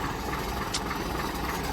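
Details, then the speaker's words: 1965 Mack B61 Thermodyne turbo diesel on a mild May morning, after a fuel filter change left an air bubble in the fuel line, idle extremely low: uneven loping idle with dips like it's starving; seemingly running out of fuel, then improving as fuel draws up. "it seemed like for a little while it was kind of running out of fuel [Music] but getting fuel now running a lot better so hopefully"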